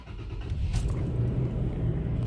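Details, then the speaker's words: 2005 Toyota Tacoma four-cylinder, P0301: low uneven idle with irregular lumpy pulses, engine shaking heavily; scanner graphs show cylinder 1 misfire. "motor está bastante inestable en este momento Entonces si se fijan aquí tenemos cilindro uno"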